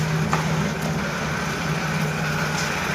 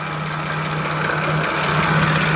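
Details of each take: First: Jaguar F-Type V6 that had cylinder 1–3 misfire codes despite overhaul, new timing chains, coils and plugs; idle with suspect fuel rail pressure sensor not connected: steady, even low hum, no vibration or hunting; normal idle. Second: Jaguar F-Type V6 at idle, faulty fuel rail pressure sensor plugged back in: drone turns uneven and shaky, vibrating and hunting slightly with an irregular stumble; misfire and rough idle from the sensor causing over-fuelling despite new coils and plugs.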